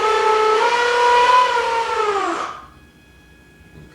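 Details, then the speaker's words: E-Flite Apprentice S 15e electric motor on a stand: a high whine climbs and wavers unevenly, then sags and winds down. It chokes up on throttle and stalls if left, and slight smoke was seen earlier. Rough running, cause unclear. "The only problem I seem to have is with the throttle though, and it kind of see, it kind of goes and then chokes up a little bit. If I leave it too long, it'll stall itself,"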